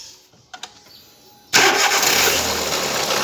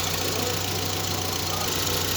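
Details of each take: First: Volkswagen Saveiro (bola) starting: it cranks, catches and settles into a harsh, clattering rattle heavy in the upper range, a timing belt noise found to be a slack timing belt. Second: VW Saveiro after belt noise repair, with power steering, alternator and A/C belts and belt cover reinstalled: steady, even idle with smooth hum, no knocks, ticks or chirps; engine sounds normal.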